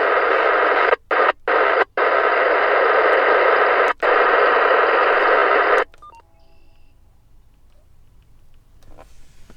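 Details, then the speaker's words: Uniden analog scanner acting up, apparently after a button was pressed by mistake: a harsh steady hiss-buzz with brief gaps, then silence when locked out. This is an encrypted digital channel heard through an analog scanner. "And it's driving me fucking crazy. That's what an encrypted signal sounds like on an analog scanner."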